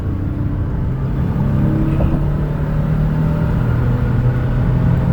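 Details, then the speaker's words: 2018 Toyota Sienna LE wheelchair van, 49k miles, accelerating to 70 mph on highway: smooth, even engine drone rising steadily with road rumble beneath, no knocks, whine or vibration; engine and transmission healthy. "Pops up to 70 miles an hour, no problems. Steering wheel is nice and straight, no unusual vibration or noise."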